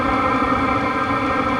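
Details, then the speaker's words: Diesel air heater running with no silencer or muffler fitted on its exhaust: loud steady roar with a droning hum, no pulsing or knocking; unsilenced exhaust noise, quieted dramatically once the supplied hollow spring silencer is fitted. "by default these things can be pretty loud so here's an example of what it sounds like when you just turn it on without any type of muffling or or silencer on the"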